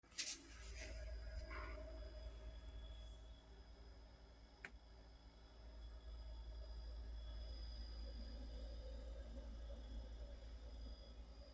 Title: Refrigerator noisy 2